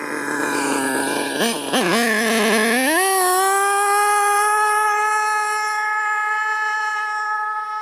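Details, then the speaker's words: HPI Savage 25 nitro RC monster truck on 25% Optifuel race fuel, second gear not engaging: engine screams to a steady high pitch with no shift; suspects it's stuck in first gear or the slipper clutch has come loose. "Either that slipper clutch has come loose or we're in first gear now. Yeah, I reckon so. Yep."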